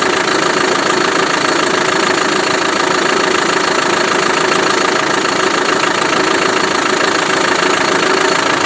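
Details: Land Rover Defender 110 300 TDI diesel from Ghana at healthy idle: steady, even clatter about three beats a second, no knocks or misses. It sounds very good, snaps up when revved, and is a bit smoky; unsure why, maybe a blocked separator.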